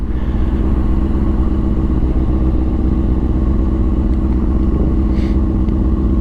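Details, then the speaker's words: 2004 Honda CBR 600RR after replacing the restrictive throttle cable: engine pulls cleanly from a steady drone into rising revs with no stumble or hesitation, making full power; normal acceleration. "We're making power now. Woo! Bro, I couldn't explain to you what this feels like. It feels like a brand new bike."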